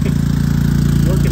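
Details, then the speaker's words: Predator 3500 generator, non-eco mode, running 2-ton central AC via 5000 W 120/240 transformer and Hyper Engineering soft start: steady mid-pitched drone with fast even pulse, holding speed under load; carrying the AC fine. "so what we have here is essential air running on a predator 3500 now this is non-eco mode"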